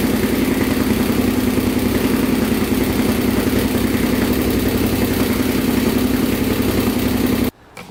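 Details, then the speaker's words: Honda 400EX big-bore 416cc single with a newly installed stage 2 Hotcams cam and 158 main jet, first start: quick light ticking over a lumpy idle. Normal cam tick; it started right up and runs fine. "you can hear the ticking on the cam but that's normal everyone says so started right up no issues there"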